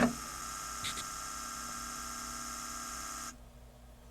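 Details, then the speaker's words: 1988 Yamaha CD-29 CD player, tray won't open, microphone inside the unit, open/close pressed: steady motor whir with faint whine but no drawer movement; drawer seems jammed, fixed with two new belts. "so i do hear a motor running so i'm hoping it's just a simple matter of popping a belt into it the strange thing is it's like it's jammed"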